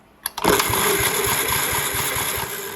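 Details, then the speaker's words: 1958 Gravely Model L single-cylinder, revived after sitting outside, new switch and battery fitted: the starter turns it over with an even, chugging compression pulse but it never fires; compression present, no spark, magneto points to be cleaned. "Sounds like it got compression. We don't have no spark."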